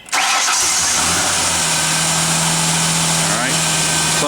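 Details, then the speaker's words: 1999 Ford Ranger XLT 4.0L, about 111,000 miles, check engine code set, cold or warm alike: catches quickly, then shaky uneven idle with wavering tone, sometimes sputtering or dying; faulty idle air control valve. "sometimes uh okay sometimes it would sputter sometimes it would start up then die"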